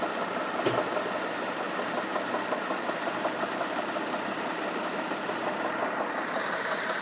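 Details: 2004 Kia Optima 2.4 L petrol engine idling at 1000 rpm: faint, loosely regular knock, roughly three a second, under a busy hiss; engine knocking at idle.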